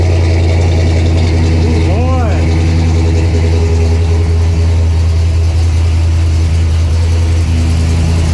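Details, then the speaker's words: 1968 Pontiac LeMans with newly self-installed dual exhaust, started on jack stands. Deep, steady idle rumble with an even low beat, no ticking or puffing, then kicks down. Normal idle, no exhaust leaks. "I don't hear any leaks. All right. Got it to kick down a little bit."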